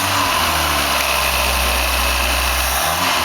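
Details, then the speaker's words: 1976 Fiat Spider, freshly rebuilt and installed engine on first start, running on hose water cooling: steady, even, smooth idle with no knocks or ticks; oil pump sounds good; normal idle. "Good motor. It does sound good. Oil pump sounds better than mine."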